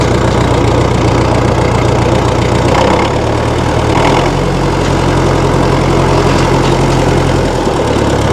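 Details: 1960 Massey Ferguson FE35 tractor, 4-cylinder diesel, after sitting unused in a paddock for a long time: steady low chug at idle, even and unbroken with no knocks or misses; running cleanly.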